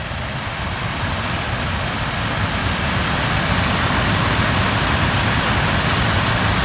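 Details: Suzuki Grand Vitara cabin blower motor, previously screaming with suspected bearing, run after being freed up and reassembled: steady even whoosh of air with smooth motor hum, no squeal or rattle; normal blower running, owner doubts it will last.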